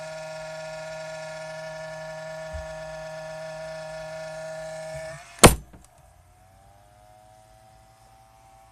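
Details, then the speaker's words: Xbox power brick giving a steady loud electrical hum with a thin whine, then a sharp click and quieter buzz; the console itself works fine, cause of the buzzing unclear. "it's not with the Xbox it's with the power thing that's how loud it is Jesus Christ"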